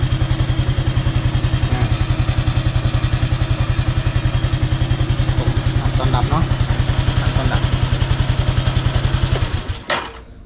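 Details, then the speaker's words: Honda Wave 110i after starter gear repair: steady even single-cylinder idle thump, no grinding or clatter before shutting off; previously the starter gear hit hard, now quiet; normal. "ครับถ้าปกตินะมันอันนี้มันจะตีแรงมากเป๊ะนี่มันก็เงียบละ"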